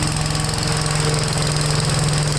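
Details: Gravely tractor driving a brush hog mulcher deck with PTO on: loud, steady engine beat and even blade rumble, no wobble or rattle, though the deck visibly takes power and the owner doubts it has enough for high grass; normal running under load.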